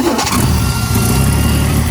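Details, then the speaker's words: Kaiser Jeep M715, Tornado 230 OHC inline-six, starting after its Holley 1920 single-barrel carburetor was refitted; catches and settles to a smooth even idle, no misfire or knock, alternator charging, oil pressure about 50 psi, fluctuating. "The alternator is on full charge. No current draw. Making 50 lb of oil."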